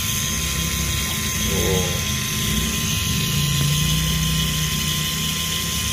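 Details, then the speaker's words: 2015 Ford Ecosport: ABS pump motor runs continuously, a constant electric whir with a steady high tone that never cuts out; the pump shorted after a high-voltage event, alongside BCM and alternator problems. "jadi problemnya karena sempet high voltage ini jadi dia shot makanya pompanya nyala terus saya mau rekam tuh ya terdengar di sini suaranya pompa ABS nyala terus"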